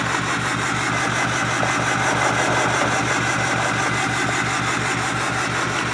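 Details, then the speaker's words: Ford 6.4 Powerstroke diesel truck at idle after turbo work that did not cure it: loud, uneven, lumpy chuff about three per second, never smoothing out, with white smoke; owner suspects cracked pistons burning oil. "know i thought diesel was supposed to be black smoke yeah no [ __ ] because the [ __ ] pistons are cracking it's chugging oil"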